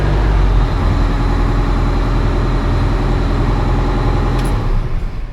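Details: Oshkosh M1070 HET 8x8 diesel after the fix restoring D-deck power (its fuel-cutoff solenoid had stopped the engine): heavy, deep, steady idle rumble with no knocks or misses, good oil pressure and no leaks.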